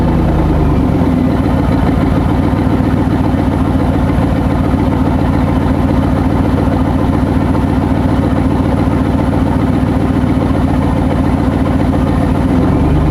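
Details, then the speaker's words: C5 Corvette V8 idling with one exhaust side disconnected ahead of the muffler: loud blatty uneven low rumble with chuffing pulses, an exhaust leak from the disconnected joint. "So as you can see, that doesn't sound great."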